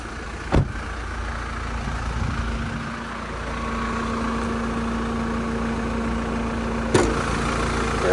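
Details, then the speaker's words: Normal idle of a 2021 Toyota Prado GXL serviced at 55,000 km, heard under the bonnet while running: smooth, even idle with a steady low hum and no knocks, rattles or squeals. "don't imagine Knox rattles the squeals and as we listen to that engine run that there's the motors has taken over nicely"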